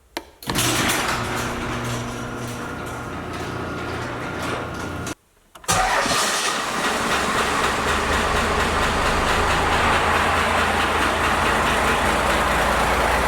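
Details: First-gen Cummins diesel truck with 4-inch straight pipe, before advancing timing and raising idle: cranks and catches, then lopes along at a very slow, lumpy idle with loud exhaust; idle set far too low.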